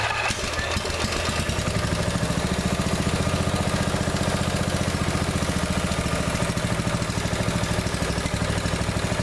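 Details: Neglected riding mower revived, after fitting the correct fuel line and clamps and putting the shutoff and filter back on, fresh gas, jump pack on weak battery: steady, even single-cylinder beat at fast idle, about two pulses a second, no misses or knocks; runs perfectly now.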